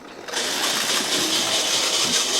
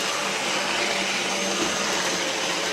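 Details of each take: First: Kit-built OO gauge SDJR 7F 2-8-0 model locomotive at about 50% on an MRC Sound and Power controller. High, buzzing whir with a rough edge, noisy despite lubrication, source unknown. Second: Kit-built OO gauge 3-rail SDJR 7F 2-8-0 model locomotive on a Gaugemaster controller at about 80–90%, needing a lot of power. Steady high-pitched whir with no knocking or catching. Normal running.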